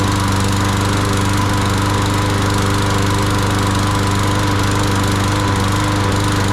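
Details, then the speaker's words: Yard Machines 21" push mower, Briggs & Stratton 500E 140cc, sat all winter and wouldn't crank; after priming, steady even single-cylinder buzz with no surging or misses, before oil change and blade/plug service; normal running. "seems to be good. Happy new season, little lawnmower."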